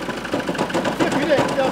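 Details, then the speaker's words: 2016 Ford Mondeo Mk5 2.0 diesel, 134,000 miles, original clutch and dual mass flywheel, at idle before replacement: loose, uneven metallic rattle clattering over the engine note, badly worn flywheel; dual mass flywheel rattle. "I'm gonna run this engine and see if you can hear the noise this fly was rattling more than the noise it's making it's absolutely terrible"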